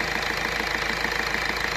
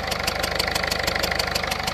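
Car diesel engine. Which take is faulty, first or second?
second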